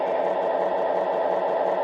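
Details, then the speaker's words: MTH Rail King PRR SW9 switcher with PS3 crawling at its slowest, 1 mph: steady fine clicking and clatter over a soft motor whir from bone-dry, ungreased gears. "It also needs some grease on the gears. You can hear them clicking and clacking."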